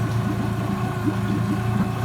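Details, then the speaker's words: 2012 Nissan 20 hp four-stroke long-shaft outboard with new water pump, cold start after a week, choke and warm-up lever up; steady even idle with smooth low beat picking up as it warms, no knocks or misses, healthy motor. "there she's starting to warm up you can hear the idle picking up"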